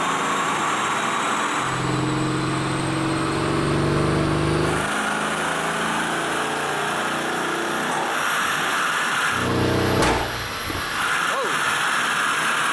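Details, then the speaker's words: Mercedes GLS63 AMG pulling hard on a dyno roller with rising tone, then one sharp loud crack about ten seconds in. Afterwards it still runs, with gear oil on the front despite a same-day gear oil change: loud bang under load, cause unknown. "[screaming] what was that? What was that? That did not sound good."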